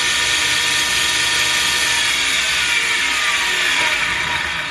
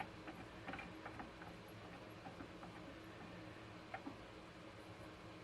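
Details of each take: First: 2x72 belt grinder with one idler wheel that won't spin freely, running: fast rough rattling whir with dry ratcheting edge over belt hiss, belts blackening from drag; worn idler wheel bearing, to be replaced. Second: KMG 2x72 belt grinder idler wheel with new bearing from refresh kit, replacing a blown screeching bearing, spun freely by hand before installing: quiet light whir, soft occasional ticks, no rattle or roughness; bearing good.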